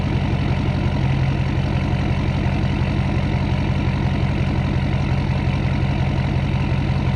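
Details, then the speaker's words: 2012 Ford F550 6.7L Powerstroke diesel at idle before the resonator install, mic 16 inches from the exhaust tips, about 88 dB: deep, loud, steady idle with an even low throb of about two beats a second and no knocks; healthy engine. "Okay, there you have it. That is a point of reference. We are roughly 88 decibels from 16 inches from the exhaust."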